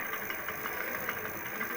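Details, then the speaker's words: Electric hub motor (wheel motor), fault linked to winter use in low temperatures: silent with throttle off, but under slight throttle light quick taps about four per second over a faint motor hum; knock transmitted to the brake drum, cause unknown pending disassembly. "Когда вот газ даешь, все, газ сброшен, тишина. Чуть-чуть газку, и вот начинается стук."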